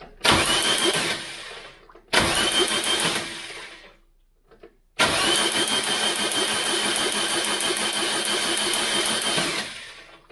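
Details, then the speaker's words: Mk3 Cortina 2.0 Pinto engine, cranking after stem seal replacement and head refit, spray bar test: three cranking bursts with harsh sharp crackle over starter churn; loud spark, owner suspects jumping straight out of the coil, petrol about. "tell you what that's sparking like hell that's a loud spark whever that was coming from God it must have been jumping straight out of the coil"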